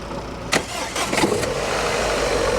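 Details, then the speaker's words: Modern classic car restarting after a cylinder 4 misfire fault code was cleared, possibly from overheating in traffic: short crank, quick catch, even steady idle with no stumble. Runs normally, and a coil pack replacement is planned. "Flipping thing. Happy as Larry now."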